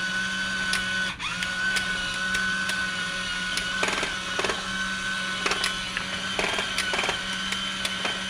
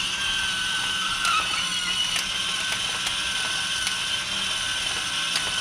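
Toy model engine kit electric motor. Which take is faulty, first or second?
first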